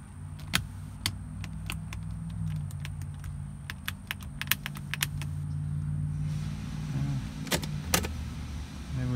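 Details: Mercedes 300D parts car with its battery just hooked up over a poor connection: a low steady motor drone with scattered sharp clicks and no clear travel as the power window motor strains and barely moves. Cause suspected, not confirmed.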